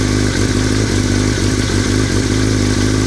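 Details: 2003 Yamaha R6 at idle: lumpy idle with loose irregular metallic rattle over the exhaust note, started after a trip to Europe; owner unsure if normal, source unknown.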